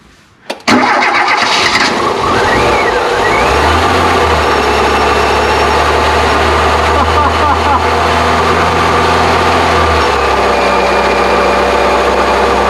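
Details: Volvo 340 abandoned 25 years, air filter removed: starter churns, engine catches and runs roughly a few seconds then dies; owners suspect fuel starvation, a blocked filter, tank not drawing fuel.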